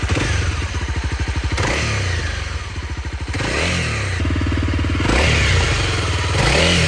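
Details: CRF250L single-cylinder thumps cleanly at idle and climbs smoothly through several blips with no cam chain clatter; the work concerns cam chain tensioner replacement for a rattle heard when closing the throttle. Sounds healthy, normal running.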